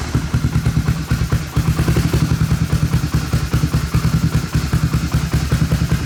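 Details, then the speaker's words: 1986 Honda ATC250ES Big Red three-wheeler, 250cc four-stroke, started after sitting 5 years, with a new carburetor, choke on and a remote fuel tank. It settles into a loose, regular single-cylinder thump at a slow, steady idle with no knocking; a healthy idle. "Idling. Man, this thing sounds good."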